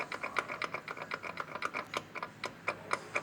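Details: Ford Fusion with FNR5 automatic, vibrating above 100 km/h, mounts OK: sharp uneven clicks and knocks about four per second as the half-shaft is rocked by hand, showing up-and-down play in a worn inner CV tripod joint.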